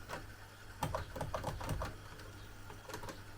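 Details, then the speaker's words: Vintage NOS cassette recorder that fast-forwards only intermittently and will not play: quiet uneven clicks and clatter with no steady running hum, from broken drive belts. "So, it does fast forward, but it does not play. Yeah, I can hear the broken belts."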